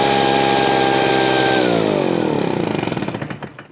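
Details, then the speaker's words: Poulan Pro PR46BT two-stroke backpack blower with an old carburetor. It wouldn't idle, so the idle screw was turned up. It holds a steady high buzz, then drops smoothly to an even idle without bogging or stalling, now running properly. "There we go. Just had to turn the idle up and get her going."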